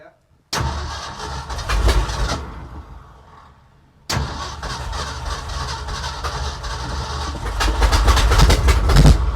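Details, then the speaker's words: 1965 Ford F350 FE engine after intake manifold, distributor, water pump and alternator work: long steady cranking, brief catch that dies, more cranking without settling to idle; spark leakage from plug wires noted, carb mixture suspected, unconfirmed. "As you can hear, we're getting it pretty close."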